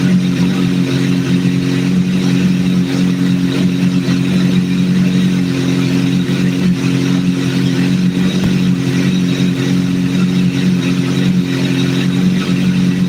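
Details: Idle captured during a vacuum sync, after adjusting number 3 until it is as good as it's going to get: smooth, even low hum with no dips, hunting or misses; a steady, well-balanced idle.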